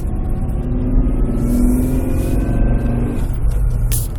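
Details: Nissan Pathfinder: heavy low drone with a faint steady whine drifting in pitch, apparently from the transmission. It occurs only with a cold engine and goes away after about 5-10 minutes. Owner suspects the flywheel bearing; the cause is not confirmed.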